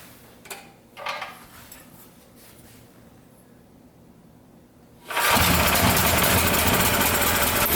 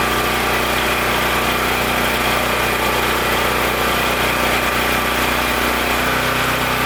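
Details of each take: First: Powerstroke 6000 W generator with a 14 hp Honda-clone engine, after rotor repair, loaded with a 500 W heater and a light bulb: fast, steady roar running slightly high; governor tab to be bent for about 61.5 Hz. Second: Powerstroke 6000 W portable generator, believed 14 hp Honda-clone engine, after rotor repair and governor tab adjustment: steady, even drone at constant speed under load, no hunting, surging or knocks; normal running.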